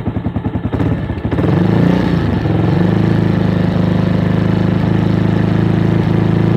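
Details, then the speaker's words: Avenger Cruiser 220 single-cylinder motorcycle, 2400 km, sat two months without fuel, after carburetor cleaning for clogged main jet and atomizer: steady even raised idle without stumbles, now running smoother. "ah bueno yo aparentemente ya lo hace más parejo"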